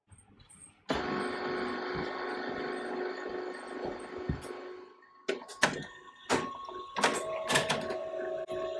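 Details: HP LaserJet CM1415 that would not feed after a toner leak, paper-present sensor blocked with a rubber grommet, test page: steady whirring feed for about four seconds, then crisp clicks, printing normally; compressor may click in background.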